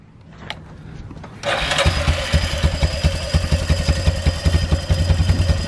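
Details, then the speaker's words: Rhino engine catches after a couple of tries and settles into an uneven, lumpy low thump with an extra noise of unconfirmed source; owner says it still runs and drives fine. "and that noise you're hearing is just this we gotta we gotta fix that but I mean this suckers running driving fine"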